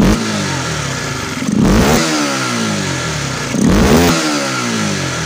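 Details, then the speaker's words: Supra GTR 150 motorcycle after repair of a stumble and no response on sudden throttle: engine idles steadily and revs cleanly twice with no stumble after the throttle position sensor was repositioned; dirty, neglected air filter also noted. "mungkin deh sip berarti penyakit pada sepeda motor ini udah rampung ya"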